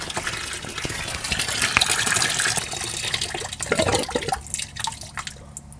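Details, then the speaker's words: DIY mini aquaponics grow bag bell siphon finishing its drain: gurgling, splashing flow thins and breaks into quiet drips as the siphon stops with the bed empty; normal cycle that repeats while the pump runs. "Okey, dah stop. Kalau kita tengok dalam grow bag ni dah tak ada air dah. Macam itulah sistem ni berfungsi. Air akan sentiasa masuk dan sistem ni akan berulang-ulang kali sampailah kita matikan pump ataupun pump kita rosak."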